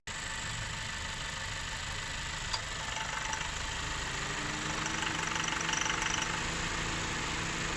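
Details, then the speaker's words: 2017 Honda Accord petrol engine idling in gear, before Gumout All-in-One fuel system cleaner treatment: a light, fairly regular knock, the pinging later confirmed to come from carbon deposits on the pistons. "this is definitely proof of the cleaning and proves that the pinging or knocking was due to the buildup of deposits"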